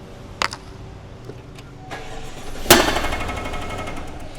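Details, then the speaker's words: Gas GMC 1500 pickup that suffered a loud crack at 80 mph: quiet engine, small snaps, then one sharp loud pop on startup, only on startup; suspected backfire, cause unconfirmed. "It's like it's igniting. You think that You think that's a a backfire? Is that what you think it is?"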